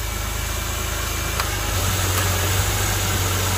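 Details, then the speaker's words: BMW E90 first start after power steering pump replacement, with the fluid cycled through the system: it settles into a steady, even idle with no whine or groan and sounds much better than before. "all right go ahead and start it up now oh that already sounds so much better"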